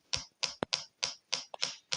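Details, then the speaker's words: Small speaker, salvaged from a music box, fitted in place of the LED on the collector of a two-transistor positive-feedback tone generator; sharp, evenly spaced pops about three a second as the oscillator runs normally at a low frequency. "You can actually hear the speaker popping at the"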